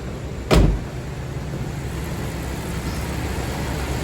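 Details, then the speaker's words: Jeep Grand Cherokee, not run for about 10 years, first start after fuel pump replacement: door thud, then a low, even idle with no knocks or misses; sounds healthy. "Oh, it's running, guys. And that sounds good. That sounds way good."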